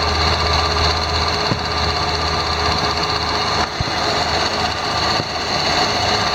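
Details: 2001 Ford Escape, 145,000 miles, idling: a light tick and sharp clicks start when the A/C compressor clutch engages and stop when it disengages; the owner suspects the A/C clutch, possibly the tensioner.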